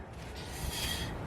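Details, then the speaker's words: 2009 Toyota Tacoma rear drum brakes, newly installed PowerStop kit shoes after gauge adjustment, drum turned by hand: a soft, quiet scraping rub without grinding or catching; the desired light shoe drag. "but do you hear how it is rubbing a little bit that's what you want"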